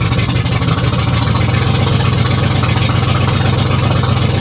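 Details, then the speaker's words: Loud, coarse, uneven idle with a raspy low rumble and ragged pulse about 2-3 per second, sounding really bad on a salvage auction vehicle; rough loud idle. "Boy, that sounded really bad, guys."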